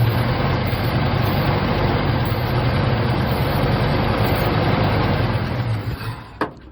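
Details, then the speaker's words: 1975 Chevy C10 V8 idling after restarting, having sat since 2003, about 18 years: even, low burble holding steady with no knock or stumble before shutting off. Normal idle; runs fine. "Been sitting since 2003 and it started. Hit it up again. That thing runs pretty good. That is crazy, guys."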